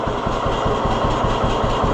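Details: 1948 John Deere B tractor after Wico X magneto maintenance: even, lazy two-cylinder putt-putt at about five pops a second with no misses or stumbles. Clean idle, lower than it ever managed before.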